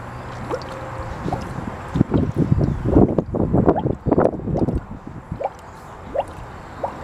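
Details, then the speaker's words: Chevy Impala after radiator replacement, engine running with the filler open while coolant burps: irregular gurgles and wet pops as trapped air purges from the cooling system, done to prevent vapor lock and overheating. "Let it burp itself down in there, and what it's doing is forcing all the air out. See the air coming out? That's what we need. We need all that air to come out."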